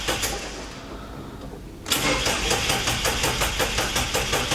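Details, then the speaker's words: Drag car that made about 440–450 on the dyno and has killed three starter motors and two batteries. After a quiet moment it cranks steadily at about 2.5 beats per second without firing, a prolonged no-start; it does eventually start. Cause unconfirmed. "Oh, doesn't sound good. Come on,"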